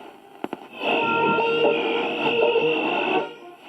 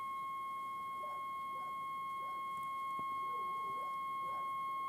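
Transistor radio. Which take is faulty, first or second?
second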